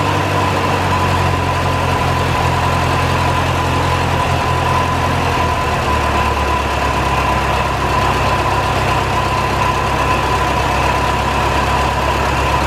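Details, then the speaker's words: 1949 Ferguson TO-20, Continental Z120 four-cylinder, sat 15-30 years, just revived after cleaning carburetor filter goo, run briefly without coolant: uneven low idle with thin steady whine; rough running, owner suspects bad generator bearings. "wow sounds like the generator bearings are really bad though that sounded pretty rough"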